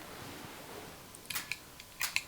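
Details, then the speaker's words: Mesa Boogie Bigfoot footswitch board for a Rev D Triple Rectifier, after chip replacement, in spongy mode: several crisp single relay clicks as channels are selected, no chatter or chirp; switching works perfectly. "But as soon as I hit any of these, no matter what it is, it works perfect."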